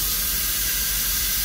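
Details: Ford 6.0L diesel air leak test for crank no-start and suspected high-pressure oil leak: steady loud hiss of air dumping through the open IPR valve into the crankcase, no gurgling from the turbo oil drain, so no internal leak.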